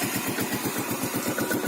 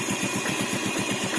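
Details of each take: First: 2011 Yamaha Vega ZR carbureted spoke-wheel motorcycle, 19,739 km, on Shell Advan X7 oil, revving with a steady even beat; faint klotok-klotok ticking near the engine, possibly the tensioner, barely audible; engine judged healthy overall. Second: 2011 Yamaha Vega ZR carbureted motorcycle, spoke wheels, 19,739 km, idling with the mic close to the engine: a faint, even ticking about eight per second. The owner suspects the tensioner, but the engine otherwise runs well.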